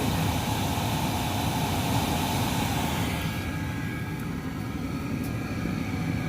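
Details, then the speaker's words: Chinese diesel heater mounted in a hard case, lid closed, about five minutes after start, at full output with clear exhaust: steady even roar of fan and burner, no pulsing, popping or surging; normal running at full output. "so it's up at full bars now um cranking out as much energy or as much heat as it's going to crank out"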